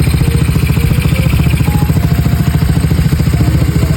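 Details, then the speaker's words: Yamaha Mio i 125 scooter, 59 mm stock-style set with cam, ported head, valve springs and injector, test run after the build: even, steady exhaust beat at idle with no ticking, knocking or rattle; engine sounds quiet and healthy. "Tinest drive lang muna namin para malaman namin kung tahimik na yung makina at may kailangan pa bang i-adjust."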